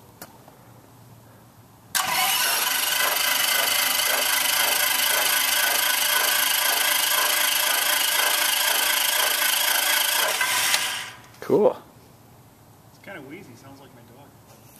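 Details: RV-7A kit aircraft's fuel-injected 180 hp Mattituck IO-360B1B, with one magneto and one Lightspeed electronic ignition, on its first engine start. Steady fast cranking with no firing, done to bring up oil pressure first; normal starter cranking.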